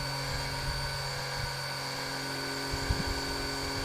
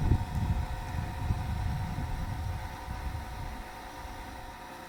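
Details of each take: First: Small electric oil extraction pump draining engine oil during a DIY oil change: a steady high-pitched hum with an even whine and no knocks or surges, running normally. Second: Oil extraction pump during a DIY engine oil change: a steady hum with slurping that grows louder toward the end as less oil remains and the pump draws air, meaning the sump is nearly empty.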